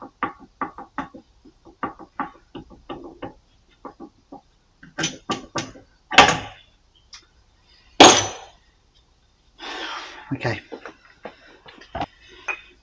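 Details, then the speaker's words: Harley-Davidson trike with a drive issue, rocked by hand in a quiet room: irregular hollow clunks from a driveshaft loose in its new Chinese bearing, play felt and heard; fix is punching dimples into the shaft to enlarge it. "um I'm not happy with that loose fit at all I can feel the play in there you can even hear"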